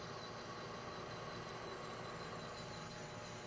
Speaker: now you can hear the pitch the chatter go up slightly that's usually there you can use that as an indicator it's just about the time when you have completed the cut